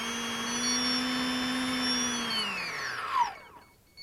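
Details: Electric motor spinning down: a loud steady whine with a shrill high overtone, described as really bad. The bearings were checked and are not the cause; the cause is undetermined.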